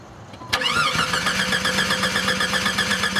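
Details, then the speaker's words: Jeep that cranks but won't start: spark is present but there is no fuel pressure. The engine spins at a steady four beats a second without catching; pump power and ground are good, but the fuel pump motor is dead. "okay very slight increase which does say there is some current there and uh but this motor's junk so it needs a fuel pump motor no question about it"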